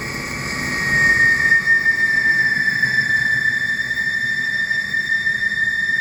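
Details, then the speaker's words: Colchester 1760 lathe drilling with new 63mm Kennametal HTS drill: steady high-pitched squeal at one pitch over cutting noise; drill chatter squeal from lack of machine rigidity. "rigid as I would like to be so they they do squeal just a little bit but there's not much I can do about that"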